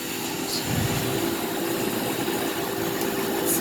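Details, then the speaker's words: 1975 Westinghouse Custom 20 dehumidifier with a bent, broken fan blade: a steady, even mid-pitched fan-motor hum with no rattles or scraping; when switched off the compressor cuts and only the fan motor keeps running. "let's jump when you turn it off that's just the fan motor the compressors of course just cut"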